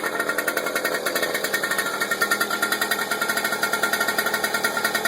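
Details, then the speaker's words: 1999 Suzuki JR50, just rebuilt with a new top end, rings and wrist pin bearing, heat-cycling to break in and not yet ridden: quick, even idle with a crisp, steady pop rhythm and no knock or rattle. It is a normal two-stroke idle. "I just been letting it heat cycle right now to break in. Fires right up."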